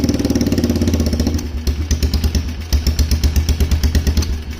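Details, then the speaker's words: Polaris Trail Boss 330 quad, carb refitted with no airbox, jumped, running on a little choke: a loping single-cylinder thump at about five beats a second that sags and dies when the choke is turned off. Stalls without choke, lean without airbox. "hey dang she's running baby oh I turned the choke off and it killed it"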